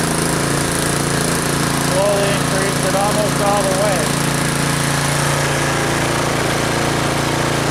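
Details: Troy-Bilt Storm 2840 electric-start snow blower warming up after start, choke opened, throttle built up: steady, strong drone holding even speed with a constant low buzz and no stumbling; healthy.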